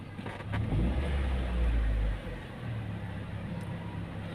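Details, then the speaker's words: 2005 Honda Jazz manual, engine still cold; short rev burst then quiet, even idle with no rise or dip in rpm, no vibration; normal idle. "mobil ini enak kupingnya enak gasnya enak halus rpm nya nggak naik turun"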